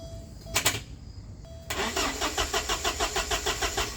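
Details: 1989 Porsche 944 2.7, temperamental project car with F9 Tech DME relay; starter spins engine evenly about three beats per second but it never fires: crank, no start.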